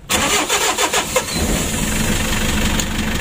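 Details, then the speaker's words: Mitsubishi L300 diesel, hot and on jumper battery, with heavy blow-by and compression leaking into the radiator: long uneven chugging crank before it catches into a rough idle; earlier it drained the battery twice before starting; low compression. "starternya ya agak panjang teman-teman Kalau awalnya Wah sampai habis baterai 2 baru hidup begitu"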